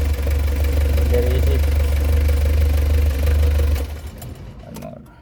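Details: Diesel with hard starting every morning, after three of four glow plugs tested bad and were replaced with new ones: catches promptly and settles to a steady even idle with a firm low thrum, no stumbling or long cranking; normal start.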